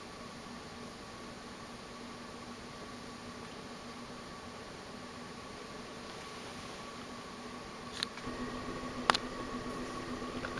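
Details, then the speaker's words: 1984 Guibb GE Vent 42-inch (107 cm) ceiling fan, made in Taiwan, on high speed (about 230 rpm): a steady low motor hum and whir with stray clicks from noisy bearings, still loud despite heavy oiling; the fan wobbles from bent brackets. "I've heard much worse hummings than this but still you hear it a little you know it has a NAU B humming to it I've oiled it a lot but it didn't do very much to it it's still um still kind of loud"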